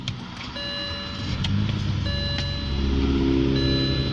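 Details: 03/2006 BMW 320i E90 sedan, 2.0 petrol N46 engine, automatic, 177,840 km: engine catches and settles into a smooth, even idle with steady low hum and a dash chime over it; healthy.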